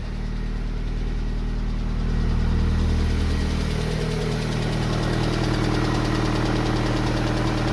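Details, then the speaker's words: Yellow MG, first start after repair, out of gear; rough idle with a steady knock at roughly three to four per second under the low engine drone, plus quite a lot of exhaust smoke; still broken, cause not found. "Out of gear. No. That sounds like it's still fucked."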